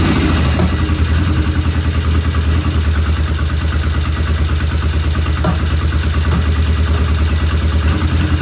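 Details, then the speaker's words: 1975 Norton motorcycle, first run after rebuild, checking oil flow: loud, low idle with a steady tick from one loud tappet and an occasional stumble in the beat; something intermittently not right, cause unclear, tappets to be rechecked. "One sounds loud, and then we have that occasional. I'm not sure what we have occasional, but something occasionally was not right."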